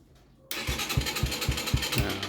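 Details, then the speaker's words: Stallion Centaur 150 (CT150) motorcycle with a dead electric start: after sanding corroded switch contacts and jumping the clutch switch, the starter cranks with even thumps about four a second and the engine catches cleanly; starter motor is healthy. "ไดสตาร์ทเราก็ยังดีอยู่นะครับรีลสตาร์ทเราก็ใช้ได้นะครับ"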